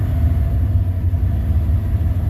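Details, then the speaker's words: Cold engine idles with a deep, uneven, surging rumble; smooths out once warmed up; owner says it needs the intake off. "This one don't run the greatest, but it should once it gets warmed up."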